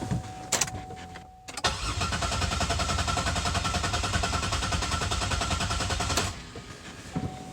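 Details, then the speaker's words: Car with a slow coolant pressure leak and no visible drip, head gasket possibly suspected, cranked cold at just below freezing. Starter turns the engine evenly for about four seconds with no grinding or knocking; cranking sounds normal. "I don't hear anything that sounds wrong."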